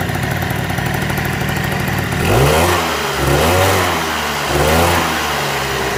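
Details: 1987 Honda Elite 50S, AF05E two-stroke, after a Malossi 65 cc big bore install, idling then three quick throttle blips that rise and settle cleanly without stumbling; normal.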